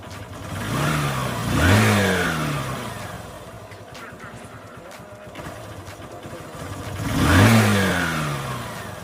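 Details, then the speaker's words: Honda Shine SP single-cylinder: engine revs up and drops back unevenly and hesitantly under throttle, missing when opened up; won't hold idle speed, dies shortly after throttle, starts only with choke. "അതുപോലെ കൈ കൊടുക്കുമ്പോൾ ഒരു missing ആയിട്ടാണ് വണ്ടി നീങ്ങുന്നത്"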